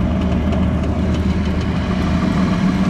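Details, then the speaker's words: Very old utility-set HVAC exhaust fan motor with poor connections, left running: low steady hum with heavy rumble, motor struggling; weak capacitor suspected, with a new capacitor planned and motor replacement if that fails. "the way i would go about it is putting a new capacitor see if it started if it didn't then you know it's time to replace the motor it was getting voltage it just wasn't doing its thing"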